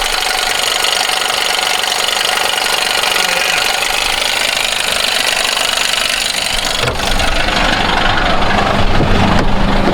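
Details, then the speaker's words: GMC 1500 5.3L V8, 154,490 on the odometer, at idle: loud, rapid, uneven knocking from the front accessory drive, first suspected at a pump, traced to a worn belt tensioner rather than internal engine damage. "I think it's something in the accessory drive. Feels like it's in that pump."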